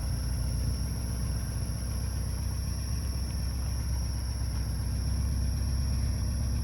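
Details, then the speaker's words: Porsche 944 at idle: even idle with a thin high-pitched squeal constantly over it that fades when revved or warm; suspected stuck control valve behind the oil filter housing. "There's a control valve behind the oil filter housing on these Yeah? that gets stuck. Oh. And maybe it's And that's why you're getting that squeaky."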